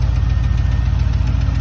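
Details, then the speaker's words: 6.0 V8 idling around 800 rpm, hot at 205°F with both fans on, hot oil and 13.5 air-fuel, with Hush Thrush mufflers: a deep steady idle with a light, fast lifter tick. "uh I got a lifter tick you'll hear it when I walk around but I do have a lifter tick"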